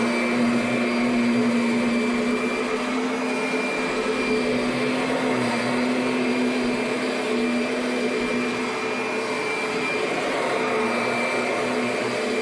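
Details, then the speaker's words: 2009 Kirby Sentria upright vacuum running; steady high motor whine with faint uneven scraping underneath, something rubbing inside, exact cause unclear; rubbing noise while running. "Not sure what that sound like. Something's rubbing in there."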